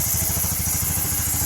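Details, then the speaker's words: Honda RS 125 Fi single-cylinder idling after engine work: even, steady putter, with the earlier cricket-like chirping gone and no ticking; weak low battery, so kick-started. The engine now sounds healthy and quiet. "ayan na mga boss, tahimik na."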